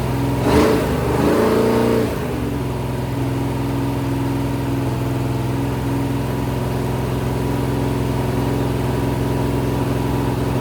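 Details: Rebuilt 426 Gen 2 Hemi crate V8 (new heads, intake, pistons) on run stand, flat-tappet cam break-in: quick blip then steady even fast idle, smooth hum, no ticking or knocking; normal.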